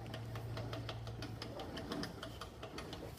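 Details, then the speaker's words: Honda HRR216 lawn mower after replacing rear wheel, sprocket and drive pinion (old ones unlubricated, wheel wobbled, poor drive); even light ratchet ticks about five per second turning forward, catches backward: normal pinion click. "We didn't have that click before. And back this way should be resistance. Yep, it catches like that."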